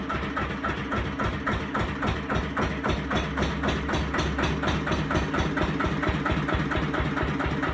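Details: 1936 Lister CS 5/1 single-cylinder diesel, 600 rpm, start and short run after rebuild: slow, even thump, regular and clean with no knocks; normal running.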